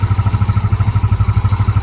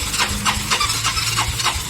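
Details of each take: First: Yamaha Mio 125 scooter, warm engine after carburetor cleaning and air mixture retune: steady, even putter around ten pulses a second with no hunting or surging; normal idle, diaphragm set still to be replaced. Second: Yamaha Mio 125 scooter with hard starting, oil in coolant, fast-fouling plugs; air filter removed, battery freshly charged, old spark plug: starter cranks briskly about four strokes a second, no firing, long cranking fails to start.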